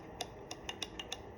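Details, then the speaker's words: XM16E1 rifle built by U.S. Ordnance, trigger dry-fired: crisp, sharp metallic clicks, about six in under a second, each clean and alike; trigger resets properly, unlike the Colt GAU/5/A/A with a disconnector fault. Normal trigger reset click. "Same situation with the trigger. Trigger works properly,"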